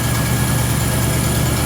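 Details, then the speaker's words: Freshly rebuilt Ford 351 small-block V8 on an air compressor (new rings, rods, timing chain, pump, bored 30 over), cold engine: strong, even low rumble at fast cold idle, no knocking or ticking; normal cold idle. "Then I do on a cold engine, I like to butterfly it a little bit."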